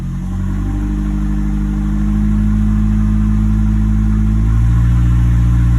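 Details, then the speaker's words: 2011 Nissan Altima after ignition coil replacement for a cylinder 3 misfire (P0303), in drive under load: steady, even engine note holding firm, no stumble or missed beats; normal running, later 5-mile road test without problem. "Still running great. I'm gonna do a final road test drive and everything good."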